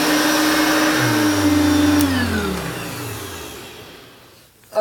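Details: 1980s–90s Hoover Turbopower upright vacuum cleaner motor: steady clean whine holding evenly, then dropping smoothly in pitch as it winds down; running normally.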